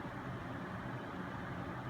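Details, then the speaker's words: Noctua NH-D15 CPU cooler fans in push configuration (air pushed through the heatsink fins): only a soft, steady whoosh of air turbulence with no buzz or tick. Pull configuration had caused a loud buzzing. Normal cooler fan airflow. "it's nice and quiet if you can just hear that all you're really hearing is just the um the turbulence"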